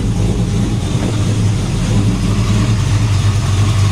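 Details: XW Ford after new fuel sender and half-inch fuel line, moments after a rough start: deep even V8 rumble with steady beat and no stumbles or misses, now running smoothly.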